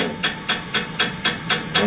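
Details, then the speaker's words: Pottery wheel running during a throwing demo after repairs: a harsh hissing swish repeats evenly about four times a second with each turn. Rhythmic scraping from something rubbing; cause not found. "I do not like that sound it's really annoying isn't"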